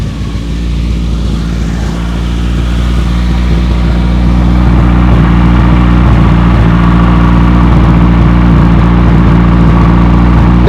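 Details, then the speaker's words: 1993 Geo Tracker idling after a fuel injector rebuild; the earlier white smoke is gone. A fast, sharp puffing tick, about four per second, rides over a steady idle: an exhaust leak. "we used to have white smoke coming out now we don't used to come out here where I have an exhaust leak that I've decided to try this and just see what's going on"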